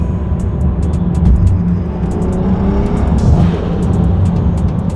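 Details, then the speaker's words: Big-turbo BMW 435i, not yet fully tuned, driving before dyno: steady deep turbo engine drone under light load, no faint ticking from the manifold; exhaust sounds normal and sealed. "sounds about the same, to be 100% honest with you. I don't notice that faint tick tick tick tick tick tick noise that I hear a lot."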